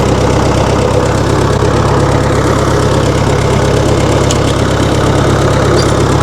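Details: 1960 Massey Ferguson FE35 tractor, 4-cylinder diesel, after sitting unused in a paddock for a long time: steady, even low chug at idle with no misses or knocks; engine running healthy.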